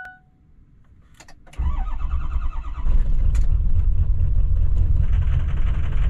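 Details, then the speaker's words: Pickup truck just bought with weak junk battery, stalled previous night: a few clicks, then engine catches and runs rough and uneven with a lumpy beat, stumbling; owner suspects it is drawing fuel back into the fuel system. "what the hell is going on out there huh stumbling like that"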